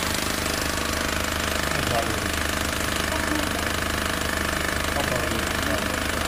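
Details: Newer Honda Civic engine running with rapid, fairly even tapping at about two per second over the engine note; engine tapping noise, cause not pinned down.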